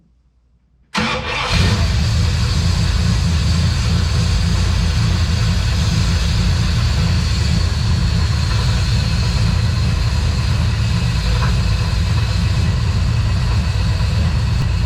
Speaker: what is that knocking yeah fire it back up come out here and look listen to it